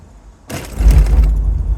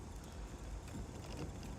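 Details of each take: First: Toyota Solara convertible with bad struts on all four corners, driven over road steel plates before repair: heavy thumps, squeak and loose rattle with shaking at the front; owner hopes new struts and sway bar links cure it. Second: Toyota Solara convertible driven at 5 mph over bumps after new struts on all four corners: steady low road rumble with no creaking or rattling, unlike the constant creaking before.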